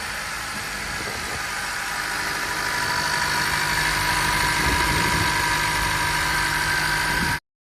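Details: 2016 Honda Accord Sport 2.4L CVT, after starter replacement for a click-no-start fault: four-cylinder starts instantly and settles into a steady, even idle with no misses, knocks or clicks; running normally.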